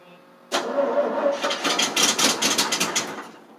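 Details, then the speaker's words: 1988 FMC 6000 with 5-speed, clutch in, neutral: even starter chug about four to five beats a second for three seconds, never fires; fuel not reaching the carb. "This is getting hard to start right now. It's not liking me today. What the heck are we going to do? Thing's not wanting to start today."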